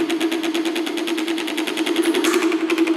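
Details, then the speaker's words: Pedestal fan motor, capacitor just replaced, still gives a strong steady hum with fast dry chatter at starting from a dry bush (sleeve) bearing; not loose yet, so oiling should fix it, replacement needed if completely loose. "ഇതിൻ്റെ Bush ബയറിങ്ങിന് complaint ഉണ്ട്. അതാണ് നമുക്ക് നല്ല sound വരുന്നുണ്ട് സ്റ്റാർട്ടിങ്ങിൽ."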